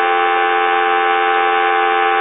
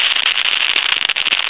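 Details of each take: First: and as you can see it's no longer noisy Second: Pottery Barn Grand Phone before repair, initial checkout: constant harsh sizzle with rapid random crackles and pops on the dial tone; calls cut off; handset cord ruled out.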